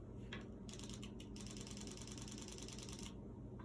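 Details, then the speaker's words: Airsoft gun rebuild with FCU, 90 ci Ninja HPA bottle, SLP regulator at about 60 psi: rapid, even crisp clicking bursts as the solenoid cycles and fires normally. "know if you guys can hear it but it is clicking the gun is clicking so the silver mines firing"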